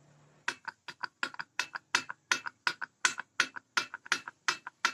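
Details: Yamaha RX King two-stroke block with bare piston rocked by finger in the bore, giving sharp metallic clacks about three a second; the liner is badly worn despite a smooth upper wall, so the block needs oversize: piston-to-liner clearance rattle.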